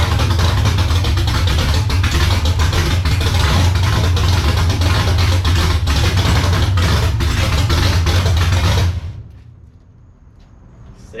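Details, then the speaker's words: BMW E82 pro drift build, first start after ground-up rebuild: loud lumpy idle with an uneven pulse that never settles, then cuts out; idle would not stabilize while adjusting the throttle body, AFRs all over the place. "I could not get the idle to stabilize. It was either too low, it was too high. I shortly realized that our AFRs were all over the place"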